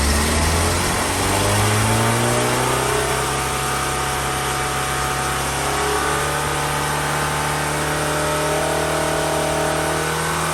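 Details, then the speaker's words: Hillman Imp engine after cylinder head gasket replacement, warmed up and on a dyno power run, recorded from behind a door: engine pulls steadily with smoothly rising revs under loud dyno-shaft drone; no knock or miss. "You'll hear a lot of row. That's from the dyno shaft that connects it to the dyno."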